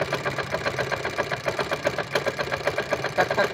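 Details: Hero Honda Splendor Plus, 1999 model, noise from magneto side at idle: uneven ticking scrape about two and a half per second; magneto rotor rubbing the stator.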